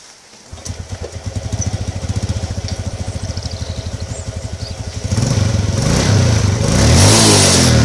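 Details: Modenas GT128 single-cylinder motorcycle with replaced timing chain, still suspected noisy: starts, settles into an even putt around 210 per minute, then revs up cleanly; runs quieter than before with no chain rattle standing out; normal running.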